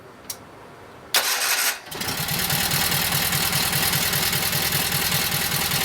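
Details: Kohler KT17 twin, fully reassembled after a lost-governor repair and started by key switch with no choke at the first start; brief cranking, then it catches within a second and settles into an even idle with no knocks or misses.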